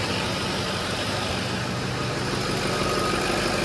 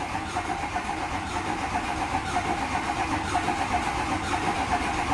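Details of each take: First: Dually diesel truck after cab-down work, fuel system bled, stock tuning: steady even diesel clatter at settled idle with no misses or knocks; running smoothly with slight haze. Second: Diesel dually truck starting after glow plugs, with a fresh set of lifters not yet primed with oil: lumpy idle with a loose beat about once a second that evens out once oil pressure comes up.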